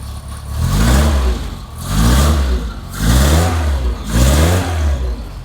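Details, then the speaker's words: 1973 Lotus Europa first start after years sitting, fitted with used carburetors and new exhaust, not choked: four clean crisp blips rising and falling smoothly back to idle with no stumble; starts right up. "I mean, it sounds like it's fuel injected, just like starts right up and goes."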